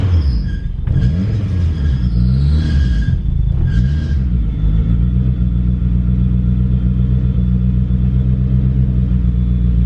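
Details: DSM Eagle Talon, first start after new head gasket and transmission rebuild, fresh oil and filter: deep uneven rumble with a few sharp revs before settling to a heavy, lumpy idle; running rough, cause unclear.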